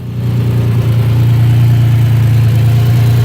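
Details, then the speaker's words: Turbocharged Nissan Maxima idling cold before warm-up, after many upgrades and new coils, air-fuel ratio at idle possibly needing adjustment: steady, low, even idle hum, running smoothly and quieter than before. "sounds happy for the most part I'm gonna let this warm up"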